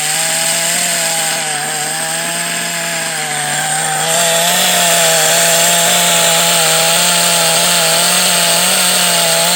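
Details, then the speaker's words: Kyosho DBX 2.0 GXR .18 nitro engine before strip-down: high buzzing engine holding revs with a harsh, gravelly rasp riding on the tone; bad bearing, worn crankshaft bearing. "to me yeah so there's 100% bad bear in there somewhere I mean you can hear it it sounds terrible"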